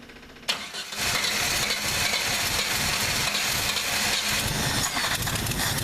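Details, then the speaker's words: Old engine cold started with starting spray, pedal held to prevent stalling; ragged lumpy sputter with uneven beat, running on about four cylinders, smoothing slightly as it warms and other cylinders light. "All right. So, it's running, but it's running like crap. It's running on like four cylinders. I can hear it sputtering."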